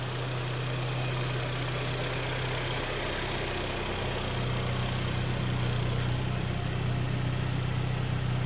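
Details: 2013 car in top premium trim with about 140,000 km, just reassembled after an engine overhaul: a steady, even low hum at idle with no knocks or ticks. The engine runs smoothly.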